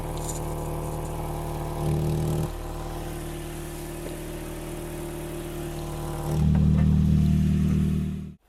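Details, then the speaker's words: Toyota Yaris first generation 1.5 TS after temporary repair of the rear silencier and exhaust pipes that had blown with a rally-like noise: steady even idle with two rev blips, no rasp or blowing; exhaust now quiet and sealed. "ça fait plus le bruit voilà c'est nettement plus silencieux"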